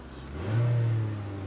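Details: Car that sat for two years, possibly with bad gas, started on roadside service: it catches and revs briefly, a deep steady hum building, then settles into an even idle; it starts and runs fine.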